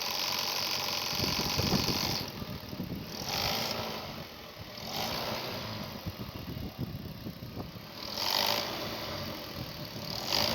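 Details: Running engine: irregular light rattling and ticking that comes and goes. The alternator's decoupler pulley (aluminium with a rubber-and-aluminium clutch inside) has broken and has play when rocked; it must be replaced. Alternator decoupler pulley failure.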